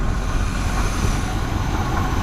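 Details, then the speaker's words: 1979 Chevy Suburban, small-block Chevy 400 V8, push-button start, long sitting, missing vacuum lines: loud raw uneven rumble from open exhaust, lumpy but no knocking; likely needs plugs, plug wires, carburetor rebuild. "no major uh knocking or anything like that so she might be all right with a tune-up probably definitely needs plug wires plugs carburetor gone through for sure"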